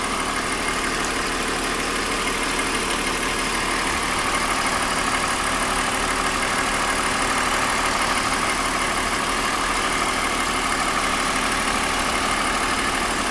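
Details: 2001 BMW 530i M Sport (E39) at idle: steady idle with light, regular tapping about three times a second over the engine hum; recently developed abnormal engine noise, cause still being investigated before repair.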